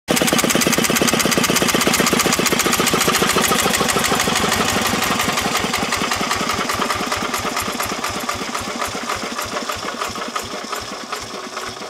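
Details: Petter AV1 single-cylinder diesel (built 1941–1951) driving a 1936 generator rated 2.5 kW, 50 Hz, 220 V, first start after decades in storage, rust-free; it starts and runs really well, with steady, even thumps and no knocks: normal running.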